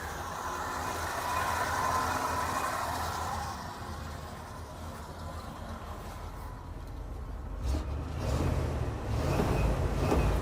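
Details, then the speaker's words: 1971 Ford F-250 Custom Highboy 4x4, warm, exhaust manifold gaskets not replaced but not leaking: steady low rumble with an even beat, no knocks or ticks; nice and quiet warm idle, oil pressure showing. "nice and quiet not too uh Rowdy"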